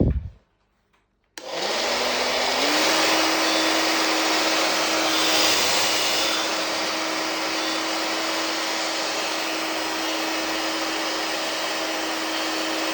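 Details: Hair dryer after repair of worn shaft bearing that had made a racket from shaft wobble, fixed with homemade PTFE washer; switches on and spins up to a steady, even whine over smooth airflow, no rattle or wobble; running normally.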